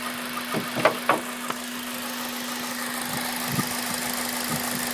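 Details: Honda Civic Type R petrol engine idling warm, noise starting after about 10 minutes, present for about 7k miles: irregular light metallic rattles and clicks; oil change and valve clearance didn't cure it; cause was the timing chain tensioner.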